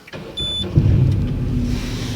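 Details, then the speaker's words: Salvage-auction Peugeot RCZ-R, 86,000 miles, first start: short crank, catches within a second and settles into smooth, even idle with no stumble or misfire; starts normally. "Okay, it fired up, no problem."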